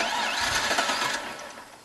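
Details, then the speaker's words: LS1 turbo one-tonner, first start after months dormant on E85; injector plugs checked: short uneven catch that sputters and fades within two seconds instead of settling to idle; hard starting, cause suspected, not confirmed. "come on baby oh nearly a bit grumpy i just checked all the injector plugs and stuff like that and hopefully nothing was loose"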